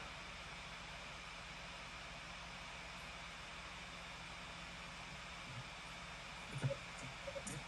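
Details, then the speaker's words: MacBook Pro with only Final Cut Pro open before export: a soft, steady airy hiss with no whine, rattle or pulsing, so the laptop fan is turning normally at light load. "So yeah, my MacBook Pro is definitely ready to take over. Fly. I hear the sound."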